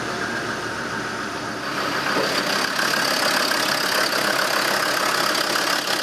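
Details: Land Rover Defender diesel, cold start at 16°C with a vacuum gauge on the EGR valve: even diesel clatter settling into a steady idle, no misses or knocks, normal cold idle before EGR blanking.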